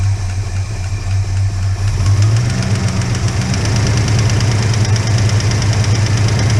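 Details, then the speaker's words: Holden HK engine at idle just after start, no oil reaching the top end yet: fast light ticking about four per second following engine speed; one hydraulic lifter noisy, noise stops when its pushrod is held up. "so how do you get rid of the [ __ ] lifter noise and that Bloody pulling everything down and why is there only one lifter making the n"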